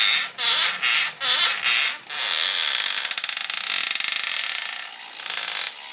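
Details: BB Right bottom bracket on an S5 bike: sharp dry creaks and ratchety clicks in bursts with pedalling, from the bottom bracket area.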